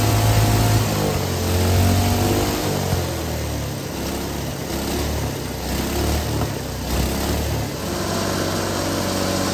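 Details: Hydrogen engine with its cooling water injection replaced by diesel, run at full RPM and full throttle with hydrogen turned almost off (about 90% diesel). Rough uneven beat with hard knocking; it vibrates heavily and puffs smoke, yet keeps running.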